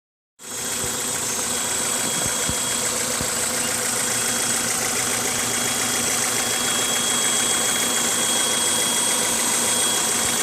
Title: 1998 Honda CRV high pitched noise at idle